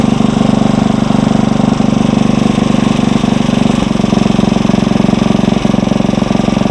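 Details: Engine on a tiller, warmed up at fast idle, no load; quick, steady single-cylinder beat with even firing, no misses or knocks. Normal running at fast idle.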